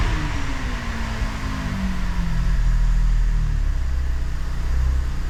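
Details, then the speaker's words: 2019 Chevy Traverse 3.6L at startup after a catalytic converter replacement, welded broken brace and cleared codes: rough low puffing rumble with faint ticking. It is an exhaust leak, later traced to a missed spot on the weld on top of the exhaust pipe. "Definitely sounds like an exhaust leak, so I gotta lift it back up and check that out."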